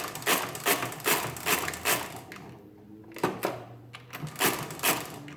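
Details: Rebuilt Marchant KE mechanical calculator multiplying 625 by 625: bursts of mechanical clatter, two or three a second, steady and even as the carriage steps through the sum; a healthy calculating run.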